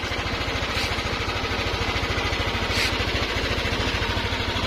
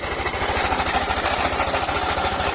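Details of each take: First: Yamaha NMAX 155 scooter idling after repair at a Yamaha service center: steady, even low thrum with no ticking or rattling; previously very noisy, now quiet. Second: Yamaha NMAX 155 scooter at idle: loud, loose, frightening mechanical clatter, as if the engine were coming apart; cause is a worn camshaft bearing in the head.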